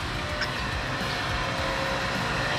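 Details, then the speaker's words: Water pump after replacing noisy rusted bearing and mechanical seal, running dry before priming: smooth, even motor hum with no grinding, rattle or bearing growl; very quiet, repair successful. "Napakatahimik, no? Ibig sabihin, successful yung ating naging pag-repair."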